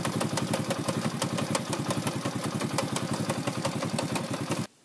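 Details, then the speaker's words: Racer moped (likely 110cc), CF Moto 2V91W-type engine run nearly without oil: fast even knocking over idle from the gearbox, primary shaft catching at one point; cause a cracked primary-shaft gear tooth. "переключается, мопед ездит, но какие-то посторонние шумы в коробке."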